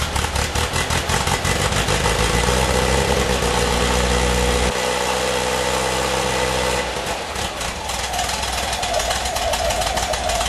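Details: 1978 VW Type 2 air-cooled engine at cold startup: rough, uneven idle that wavers and nearly dies before catching again; won't idle when cold but runs fine after 1-2 minutes.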